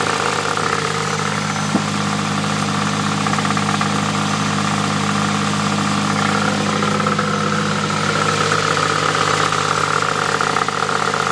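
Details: Nissan Pulsar GTI-R idles steadily with a thin, high whine that drifts slightly in pitch. This is the second clip of the unexplained weird noise; the owner doesn't know what it is and the source is unclear.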